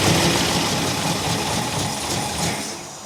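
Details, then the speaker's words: 1964 Buick Electra V8, seized after sitting 25+ years, first runs after knocking a stuck carburetor float; rough idle skipping every few strokes, a definite miss, choke no help, idle circuit likely plugged, water pump not hooked up. "Looks like it took fuel. It's definitely got a miss."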